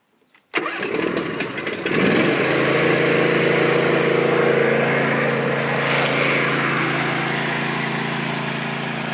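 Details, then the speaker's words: John Deere Z235 mower started with the parking brake on and the throttle at choke: a quick crank, then the engine catches at once and settles into a smooth, steady hum with no misses or knocks. Normal start and idle. "Alright, so that's what it sounds like whenever the mower's running."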